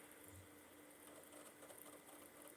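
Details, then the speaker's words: Xbox 360, later revision with an HDMI port, unused for at least a year, reading a Far Cry 4 disc: quiet, steady, fairly loud whir with faint regular ticking as the disc spins. Normal disc drive spin. "that's a good sign it sounds like it's working this one seems quite healthy it's it's loud"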